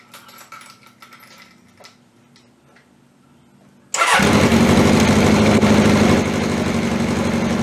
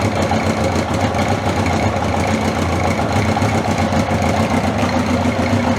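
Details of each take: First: 1981 Honda CB750K, cold start on old, stale gas with the fuel tap first left off: it catches and runs uneven, stumbling, then steadies once the gas is turned on. Fuel starvation. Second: 1981/82 Honda CB750 K four-cylinder motorcycle restarted after battery refit, about two hours after the last run (sort of a cold start), fuel on; smooth, steady idle with no misses or stumbling, background chatter, no oil leaks.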